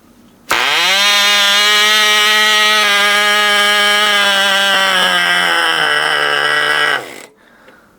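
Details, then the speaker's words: 1980 Cox Babe Bee glow model airplane engine run again after 46 years, after mixture adjustment and a deliberately choked restart: loud, even high-pitched scream held about six seconds, sagging slightly before cutting off; running cleanly. "Bakın burada ne güzel bir çalışma oluyor. Harika. Bakın. Mükemmel."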